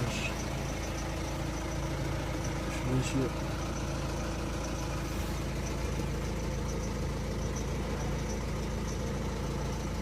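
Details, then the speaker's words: Peugeot 407 1.6 HDi diesel at idle, clip sent in by a viewer: a faint, high, ringing chatter over the low rumble. An abnormal engine noise whose source is not pinned down. "عندنا هذا أخونا بعث لي فيديو متاع 407 فيها حس باش نتعاونوا عليها ونشوفوها الحس هذايا منين في المحرك،"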